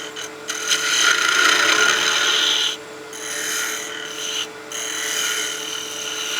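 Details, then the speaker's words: Figured Norway maple spinning top blank on a lathe, cut far out from the chuck: harsh fast rasping chatter over the spinning work; the cut is too aggressive for the support at this overhang and diameter. "So you can hear that noise. That's just a little bit too aggressive of a cut for the support that we have this far out of our chuck and this size of diameter."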